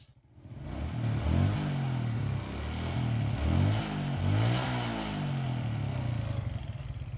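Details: Suzuki Smash single-cylinder, previously sputtering on throttle, after carburettor work and new filter: picks up cleanly through quick blips, settles back with no stumble or misfire.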